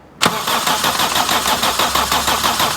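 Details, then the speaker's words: 1995 Daihatsu Feroza after oil pump replacement for low oil pressure: starter cranking with ignition disabled to prime oil, even churning beat about three pulses a second, no firing; pressure then reached about 68 psi. "Now remember, it will crank for a little bit before it gets oil pressure, just because it needs to suck it up."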